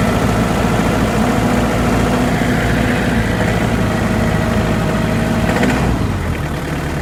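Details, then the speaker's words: Hyundai Porter diesel knocking even after an engine replacement: steady idle with a hard knock about four per second over the clatter, also heard at idle and down low on the engine; cause unknown. "такой жесткий прям стол. И на холостых его тоже слышно. Но не здесь, а внизу."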